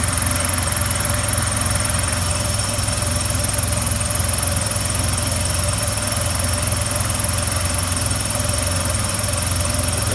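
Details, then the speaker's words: 1952 Dodge B4B truck at idle during charging-system troubleshooting after the voltage regulator connections were cleaned: even low rumble with a steady generator whir, no grinding, squeal or knocking; the generator runs smooth. "Sounds like everything's running nice and smooth on that generator."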